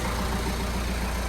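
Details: Citroen Berlingo diesel, first start after timing belt, water pump and drive belt replacement: steady, even idle with a smooth low rumble and no knocks or misses; engine sounds healthy.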